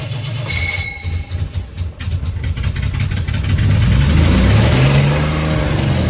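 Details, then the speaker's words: 1968 Jaguar 420G, first start after the engine was reinstalled. It cranks, catches, then climbs to a high sustained roar instead of settling, likely because the accelerator was misadjusted and held the throttle open; the car lurched in gear. "I don't think I've got the accelerator adjusted correctly so that's my fault"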